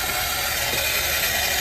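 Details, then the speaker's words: Hoshizaki ice machine throwing a 1-beep error and stopping ice production, in ice mode after drain cycle: harsh, continuous hiss of water rushing in at full force without easing; unusually aggressive reservoir fill. "fill the water valve and then fire up the condenser fan and if we take a look at this I'm guessing we're going off on high well that sounds aggressive"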